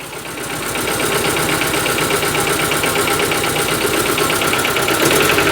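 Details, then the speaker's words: Proton 1.3 GL off the road for years, just started in the garage and briefly warmed: revs with an uneven, stumbling beat and irregular pulses as the throttle lifts; still sounds like a tractor, possible misfire, cause unconfirmed. "Does still sound like a tractor."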